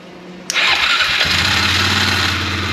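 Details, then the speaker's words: 2003 Polaris Sportsman 400 ATV, first start after valve adjustment and reassembly, on key switch with choke and some throttle, all-wheel drive off; brief crank, catches at once and settles into a steady, even single-cylinder idle; normal cold start, though the machine is not charging. "Oh my gosh! Whoa! It started right up! Holy cow, and it sounds good! Wow! It sounds really good! That's a choke off, that's idle. It is really running nice."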